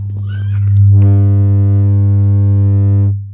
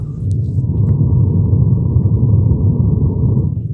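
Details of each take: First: Home theater with woofer problem, on normal AUX input after plugging in power: steady low continuous beep about two seconds, woofer not working; the beep occurs only when the amplifier IC is damaged. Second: Home theater subwoofer working again after mode change: deep, steady, clean bass rumble with nothing above the low end.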